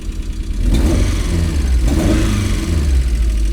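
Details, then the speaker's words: MG, first run after a no-start repair: uneven, lumpy, stumbling note while revved, with smoke; owner suspects a misfire, maybe running on three cylinders, and hopes the smoke is oil residue from the work. "might be a misfire i might be running on three cylinders here but it's rolling with some smoke smoke people smoke"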